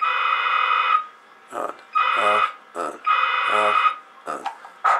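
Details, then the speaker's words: Cherokee CBS-1000 CB radio keyed up while pressing on the board near the VCO: harsh tone with overtones cuts in for about a second and drops out repeatedly; intermittent transmit noise, suspected broken trace or wire in a board corner. "so here's to be a broken trace broken wire connection whatever down in this corner board"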